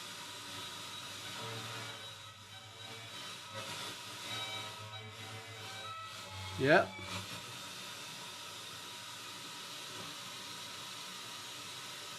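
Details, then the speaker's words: Bang & Olufsen BeoCenter 5000 with the tone board refitted, FM section feeding a dummy load, presets not working. FM station barely audible under a steady hiss: very poor FM reception, cause not yet traced. "Now I'm going to try tune it. No. Got something. That is FM. Very poor reception, but it's FM."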